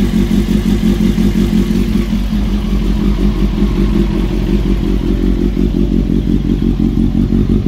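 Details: Honda CBR954 engine idling before a new cam chain is fitted: constant metallic clatter at about three beats a second over the idle, a loose top-end rattle; cam chain suspected, not confirmed.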